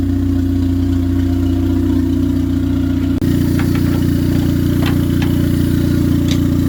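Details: 1996-99 Honda Civic EK turbo after alternator replacement: smooth, even idle with a steady low note, no stumbling or sag; no longer bogging like when the old alternator drained the battery.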